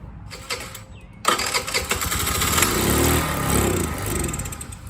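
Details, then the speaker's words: Free TaoTao 50 scooter given starter fluid with the makeshift pod filter and manifold removed: a starter whirr, then uneven pops and coughs that catch briefly but never settle. The throttle cable was found badly out of adjustment. "So you heard it sputter. It's definitely wanting to do something."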